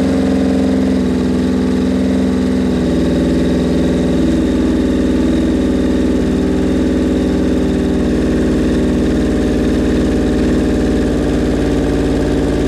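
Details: Suzuki Bandit 1200 four-cylinder at its first start after a rebuild, on choke with the idle raised: a rough, lumpy, wandering idle with uneven pitch shifts. The owner says the carbs are unsynced; his sync gauges are acting up.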